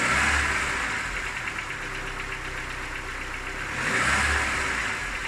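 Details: Cold engine idling with light rapping that rises and falls with two rev blips; knock fades with warm-up, gone at 90°C; hot compression 11 in all cylinders; cause unknown, owner asking.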